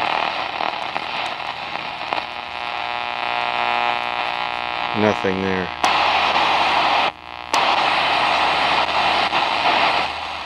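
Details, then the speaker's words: Vintage Sony TFM-1000 four-band germanium transistor radio: steady hiss and hum with no station anywhere on shortwave. Owner suspects heavy corrosion, probably inside the old trimmer capacitors. "well has it has the potential to be an epically awesome radio but just isn't because it's so corroded and whatever the the corrosion probably got inside a bunch of those old trimmer capacitors and stuff"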